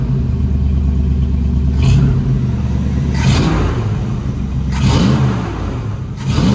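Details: V8, warming up on fast idle around 1100 rpm (target about 800) after distributor timing was corrected: several clean throttle blips rising and falling crisply with no stumble or popping; healthy revving.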